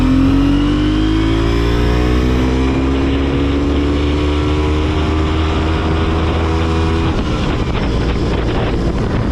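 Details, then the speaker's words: Twin-rotor Wankel rotary motorcycle, 5-speed, pulling away in first gear; smooth, slowly rising drone that abruptly collapses at about seven seconds as the engine cuts out for the second time; owner suspects crud from the fuel tank. "Uh-oh. Now that's twice. That's not a good thing. It's not a good thing at all. I bet you it's that crud in the tank, and that's why there's a filter on it."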